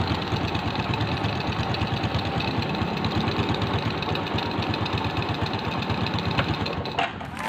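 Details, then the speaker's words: Old Suzuki Shogun motorcycle, small single-cylinder engine, idling after carburetor air screw set to middle: low, even putter, steady beat, no stumbling or hunting, lower idle without stalling; normal idle, carb healthy though somewhat dirty. "lebih enak lagi ya jadi sih belancan atau putaran bawah rata-ratanya itu dapat semakin lebih rendah tapi tidak mati gitu"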